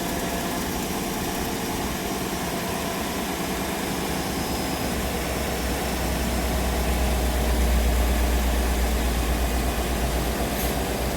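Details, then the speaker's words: 2018 Chevy Silverado 5.3 V8 after the damaged plug wire was fixed, curing the misfire; steady, even low rumble idling smoothly on all cylinders, only a small exhaust leak from a broken manifold bolt remaining; normal idle. "But it's smooth as silk now, so I don't know why it died on them."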